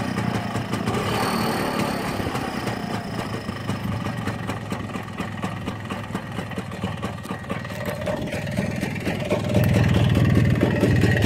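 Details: Muravey motor scooter, two-stroke, left outdoors all winter: putters at a fast, slightly uneven beat, picking up near the end. Won't restart without priming the cylinder; owner suspects poor fuel delivery, maybe carburettor.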